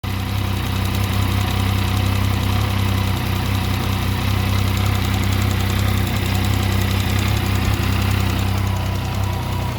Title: Mt09 Abnormal Sound What is the reason?